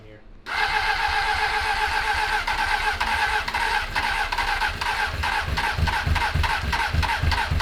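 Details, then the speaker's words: 2003 Honda 919 fuel-injected sport bike parked for years, just started with brake parts cleaner: fires unevenly, popping and stumbling with ragged gaps; sputtering blamed on stale, dirty fuel in the tank. "just nasty fuel in there was spitting out all kinds of nasty stuff and it was kind of spitting and sputtering as well"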